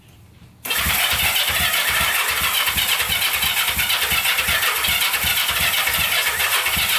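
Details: Barn-find Honda CB350 twin (listed as 1970 or 1974), sat for years, on its first choked start attempt: cranking gives way to ragged, uneven firing about three beats a second as the long-stored engine struggles to catch.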